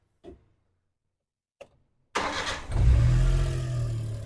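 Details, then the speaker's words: Damas after its injectors were finished: a couple of clicks, then a quick crank and catch, a brief rise in revs and an even, steady idle that sounds very good. Clean start: normal start and idle. "Endi mana ovozlar ham ko'rib turibsizlar juda chiroyli zo'r holatda"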